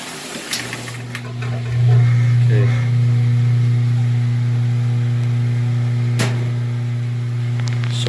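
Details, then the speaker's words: Top-load washer on medium load after filling: steady low motor hum with no agitation rhythm, agitator not moving; broken motor coupler slipping, to be replaced. "once it fills up you'll hear the motor turning on but you won't see anything going on inside of the washing machine itself"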